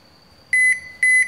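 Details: Toshiba washing machine showing error E2-3 (door lock): two sharp high beeps, each about a fifth of a second, half a second apart; fault traced to the control board.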